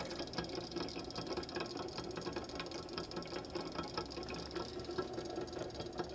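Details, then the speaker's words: Flywheel balancing stand being rocked back and forth: rough, gritty rasp with uneven ticking; grinding bearing from worn, old balls and a slightly uneven race. "Hear the grinding going on in there. Those balls are not new."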